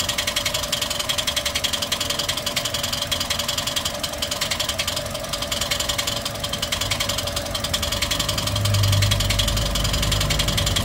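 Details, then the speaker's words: Toyota 1NR-FE engine with nearly 400,000 km, idling before repair: fast dense steady metallic rattle; loud timing chain noise; timing chain later replaced and hydraulic lifters cleaned. "guys short video tayo isalpak na natin yung ano yung timing chain kasi ang tinakbo po nito magpo 400,000 na ah pakinggan muna natin yung ingay to- troubles shoot natin yan"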